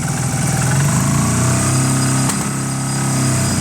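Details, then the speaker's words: Honda CB250 bobber twin, carb said to be fine, both cylinders firing but popping; revs up a little then falters and wants to cut out; stumbling when revved, owner suspects timing or valve clearances. "Now, if I put any revs into it, tiny little bits okay."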